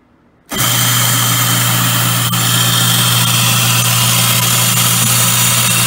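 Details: Grindmaster 890 series coffee grinder, started with beans in the hopper and a bag triggering the bag switch under the spout: quiet, then the motor kicks into a steady hum with an even hiss of grinding beans, smooth and consistent, so it is running normally.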